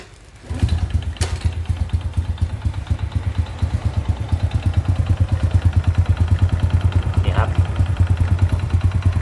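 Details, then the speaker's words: Honda Dream Kurusapa motorcycle engine starting and idling with a loud regular knocking clatter; on teardown the piston was seized and scuffed, likely from the engine oil running dry. "ลูกค้าเบอกว่าเครื่องเสียงดังครับผมเดี๋ยวเรามาฟังดูครับว่ามันดังยังไงนะครับ"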